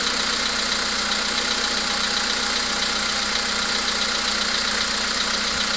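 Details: VW Polo Sedan with CFNA engine at idle: fast, light ticking knock about four per second over the engine; an unexplained engine knock of unknown cause.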